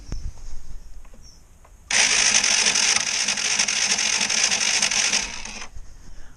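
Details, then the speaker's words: Suzuki FL125 engine after breakdown, battery a bit low: starter spins fast and even with high whirr and no compression pulses; next to no compression (timing chain suspected, not confirmed). Low compression. "But you may be able to hear that there's sod compression."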